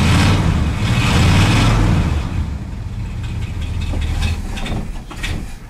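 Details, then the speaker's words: Ford wrecker V8 just retrofitted with a Chevy HEI distributor: it fires up and revs, then settles into a lumpy, uneven idle around three beats a second; ignition timing possibly a little low. "I think it's a slight bit low actually as we said I think time's a little low on it"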